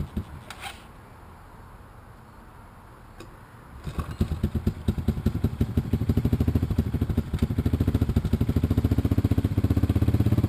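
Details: 1986 Honda TRX200SX on choke after a steering shaft repair; after a quiet pause it fires and settles into a steady single-cylinder chug of about two beats a second, idling evenly.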